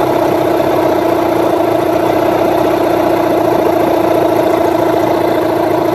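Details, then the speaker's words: Rebuilt Yamaha 15hp outboard at idle after ignition timing and carburettor tuning; even, steady buzzing idle that returns cleanly without hanging or dipping and slowly recovering, indicating a well-set mixture and idle. "Also hear how it comes back and it doesn't it doesn't sit in an RPM and then drop or it doesn't go drop and then raise back up again slowly."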